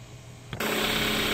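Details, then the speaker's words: 2015 Kia Soul after replacing coil packs and spark plugs: quick crank, catches and settles at once into a steady even idle with no misfire or stumble; earlier hesitation and intermittent cutting out gone, normal start. "Okay, so it's sounding really good. We took it for a test drive, and all that hesitation and intermittent cutting out has went away, so this is running really good now."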